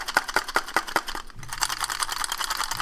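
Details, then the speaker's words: Mitsubishi Evo X SST gearbox, removed from the car, with the torque damper out: loose metallic clacks about two or three a second as it is turned by hand. Broken springs are rattling inside the torque damper. "springs are broken in the torque dampener."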